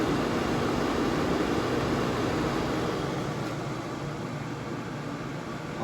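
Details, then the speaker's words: Pit Boss FB700 pellet grill found on the curb with no heat, suspected swollen pellets jamming the auger; plugged in on lowest setting before reassembly, fan turning with an even smooth whoosh and low motor hum, no knocking or grinding; fan and auger operating normally. "all right so the fan works down here yeah it's turning man i think we're in business"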